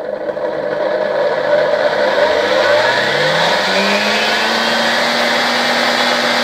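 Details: Vacuum cleaner motor fed through a 1992 Ukrainian RS-6-220 triac voltage/power regulator: as the knob passes its arrow mark the motor starts slowly, whine rising smoothly in pitch as it speeds up, then holding steady; normal run-up.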